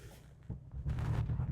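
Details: Renault Clio 172 Cup misfiring, running on three cylinders: uneven engine note broken by a few sharp loud backfire bangs about a second apart; owner suspects spark plugs or coil pack, unconfirmed.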